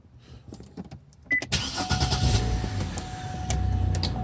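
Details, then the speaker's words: 2005 Cadillac STS with intermittent no-start (dash goes black), started using the hold-button-5-seconds bypass: a few light clicks, short crank, engine catches at once into a steady, even idle; normal start. "And once you do that, your car will start as normal."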